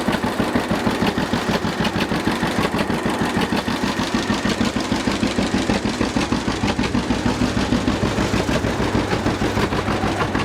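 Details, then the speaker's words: 1950 John Deere GW two-cylinder tractor (live hydraulics, Char-Lynn power steering, Baker Valve) idling in neutral after starting; slow, even putt-putt about three beats a second, no knocks or misses: normal healthy idle. "so this is good running old g let's check it out a little bit just listen to it and i'll show you around"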